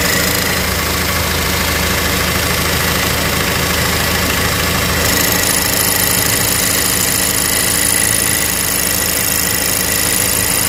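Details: Cadillac ATS idling in Drive after a long drive: tinny metallic rattle at about three beats a second that went away with a little gas; cause was a broken exhaust bracket by the oil filter, later welded.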